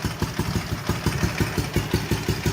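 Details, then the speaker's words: Ural twin motorcycle revived after sitting 11 years, chokes in, carburetors still unadjusted; even loping pop-pop about five beats a second with no missed beats, both cylinders firing; normal idle. "we got her fixed got a mess but we got her fixed start it up really real quick once we got the switch turned on properly we still gotta adjust the carburetors"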